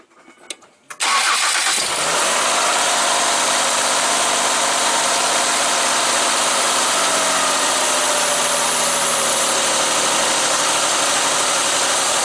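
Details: 2005 Mazda Tribute/Ford Escape 3.0L V6 started after replacing the valve cover gaskets: quick crank, catches at once, then settles into a steady, even idle with no ticking, misses or knocks.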